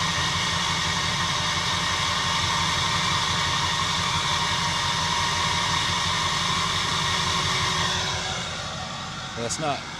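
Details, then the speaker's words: Chevrolet Duramax LLY diesel with LB7 mid pipe installed, catalytic converter removed: smooth, even idle, not very loud, with a steady turbo whistle on top; no knocks or misses. Normal diesel idle with turbo whistle. "It's not too terribly loud. Just you hear like this. Sounds about the same, but you can hear the turbo whistle. Yeah, sounds like you can hear the turbo whistling."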